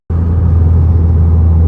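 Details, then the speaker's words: 2010 VW GTI after engine rebuild, driving on the freeway after refuelling to replace two-year-old gas blamed for the misfire and after a low oil pressure sensor replacement: deep smooth steady rumble, zero misfires; normal running. "Zero misfires while driving on the freeway."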